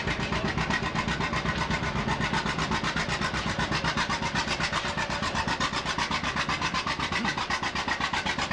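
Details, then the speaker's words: 1939 styled John Deere two-cylinder tractor, "popping Johnny," 16 hp drawbar, 23 hp belt, sideways engine with outside flywheel: steady, even popping about four beats per second, crisp exhaust, no knocks; running smoothly and healthy. "the A's the B's and so on are what they call popping Johnnies they go pop you can hear them two cylinder the engine sits sideways the flywheel is outside"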